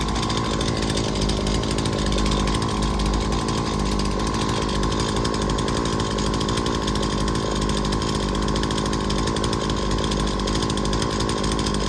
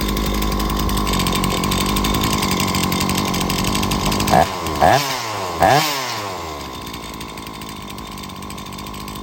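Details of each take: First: Small two-stroke engine during an ignition electrical diagnosis: a steady high buzzing run holding even speed for thirteen seconds before cutting out. The spark gap opened to about 5–8 mm, which is normal, so the ignition module is excellent. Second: Two-stroke small engine (chainsaw/blower type) tested with a homemade spark gap tester at about 5 mm: runs steadily with a few quick rev blips, then dies suddenly as the spark gives out.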